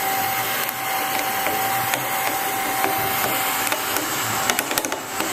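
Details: Failing agitator motor: irregular scratchy ticking and rattling over a steady motor hum; the output bearing cage is suspected broken up, not yet confirmed.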